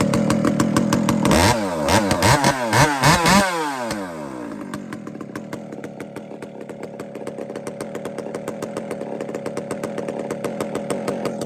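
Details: Chainsaw being tuned on the low jet (low-speed mixture), revving then settling into a super low, steady idle with even firing pulses, no stumbling; a fat low jet would load up and stall here. Normal low idle.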